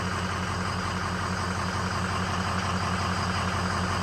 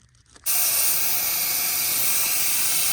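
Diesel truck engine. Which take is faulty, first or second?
second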